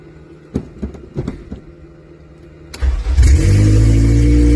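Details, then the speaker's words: K20Z1 K-swapped Honda Civic EM1 with DC5 Creations conversion harness and KPro, fuel pump jumped; engine cranks, catches and settles into a steady but noticeably high idle, first start after wiring repairs; owner suspects a small air leak. "That's I just idle a little bit. It's a little high."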